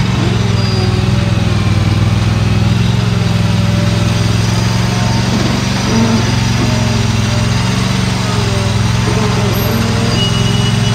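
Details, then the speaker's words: Used Dixie Chopper XG2503 zero-turn mower, Generac gas engine running, blades off, seat sensor shuts it off when operator stands; steady even drone at constant speed, no knocks, misses or rattles; motor runs good; normal running. "all right and there goes as soon as you get off it shuts off but the motor sounds good and it runs runs good"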